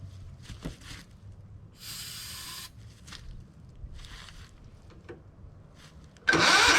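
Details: John Deere LX255 lawn tractor, Kohler 15 hp engine, sat for years; quiet cranking then it catches on starting fluid and roars loudly, muffler questioned, oil light goes off; fuel supply suspect, to be fixed next.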